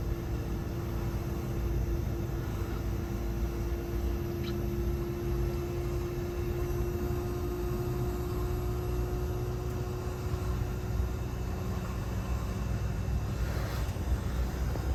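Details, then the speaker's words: 12000 BTU mini-split heat pump outdoor unit in defrost mode at about 29°F, outdoor fan off, using about 1,000 watts; steady low hum with constant mid-pitched compressor tone, no fan whoosh; normal defrost cycle. "so this is what it's going to use when it feels like it needs to um the frost itself because in the winter time uh it'll often do this depending on how cold it is"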